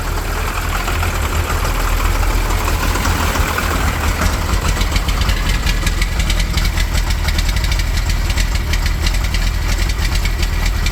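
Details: 12-valve Cummins diesel idling: deep idle with uneven, lumpy pulses and a knocky clatter instead of a smooth beat; rough idle, owner suspects the injection pump.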